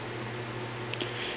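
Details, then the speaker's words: 1960s GE 12-inch fan with rubber-mounted blade: soft, steady airflow with only a faint low hum, no rattle or ticking, quieter than older GEs; normal quiet running. "I mean, considering the size of the motor, it's a very quiet fan. And it doesn't have that usual hum that GEs typically had in the old days."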